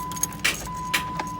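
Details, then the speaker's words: 2008 Jeep Wrangler JK Unlimited that won't start without a jump, battery and alternator tested good: a few sharp single clicks at the key with no cranking, check engine light on; starter click, no crank. "that noise click click and throw on the check engine light and that little thing right there"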